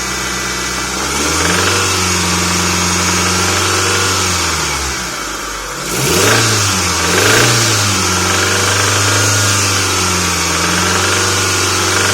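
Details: Mitsubishi 4G64 MPI engine: steady idle with a light rapid tapping or drumming that stays through two short throttle blips; engine knock, source not identified.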